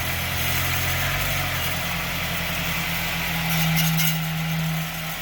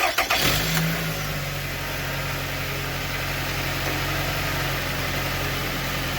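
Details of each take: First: Car idling and briefly revved with light metallic rattle underneath from a broken clip holding the exhaust muffler piece/heat shield, broken for a couple years. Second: Car previously rattling metallically underneath; after cutting off a loose hanging piece underneath, the engine starts and settles into a steady, even idle with no rattle: quiet, fixed.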